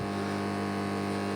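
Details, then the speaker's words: Amplifier with 20 A transformer, ground wire to transformer centre tap disconnected, heard at the speaker: constant low fixed-pitch buzz; mains hum that stops when the wire is reconnected. "jadi yang jelas itu kalau dilepaskan di bagian ini di bagian mesin [Musik] nah ini saya lepaskan sekarang kita dengar lagi di bagian speakernya nah itu jadi dgungan"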